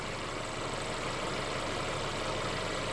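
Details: Mercedes CLA idling after a DIY oil change with Mobil 1 0W-40 and an OEM Mercedes filter, with the engine cover off. Steady, even idle hum with no knocks, ticks or misses. No leaks were found; the engine runs smoothly.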